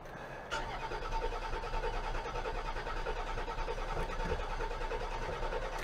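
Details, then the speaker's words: 2003 Land Rover Freelander with MS43 ECU, sat since November 2018, throttle body found shut: steady starter cranking, engine never catches or fires; cranks but won't start, cause not yet identified. "doesn't even sound like it wants to light off let's give it a little bit of gas"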